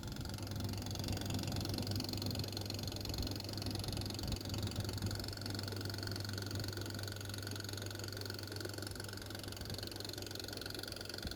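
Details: Brand-new Samsung oven NV7B42205AK operating: steady low hum with a loose, buzzy fan rattle running through it.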